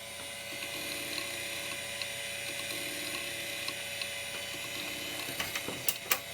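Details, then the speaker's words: SCSI hard drive in a PowerMac-era setup, not recognized, giving a quiet thin whir with repeating faint ratcheting chatter and a few clicks at the end; sounds like it's about to die: abnormal mechanical noise. "interesting making that weird noise it sounds like it's about to just with the leap off and die"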